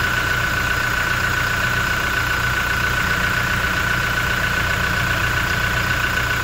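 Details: Toyota Innova Reborn diesel, engine cold and just started, oil filler cap opened: steady even clatter with faint high whine, no deep knocking; normal cold diesel idle.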